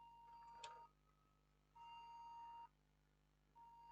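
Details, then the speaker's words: HP Pavilion G6 laptop with no display at power-on: three long, steady beeps while the fan spins at full speed and the 8GB RAM module gets very hot. Suspected memory-fault code, unconfirmed. "you can hear the sound still beeping and the fan is spinning at full speed"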